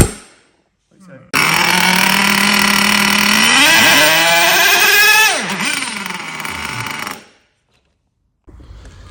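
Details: HPI Savage SS nitro RC car, first run in years after engine rebuild: shrill buzz revs up hard, dips sharply and recovers, then runs steadily before cutting; running fine.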